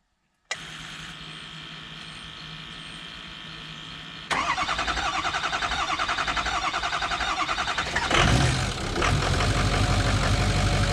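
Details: Ford F250 6.0 diesel, first start after rebuild with new Sinister Diesel Pitbull series 2 turbo: starter whirs, engine catches with steady clatter and settles into even healthy idle without knocks.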